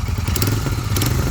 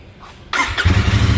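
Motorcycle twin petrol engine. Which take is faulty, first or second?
first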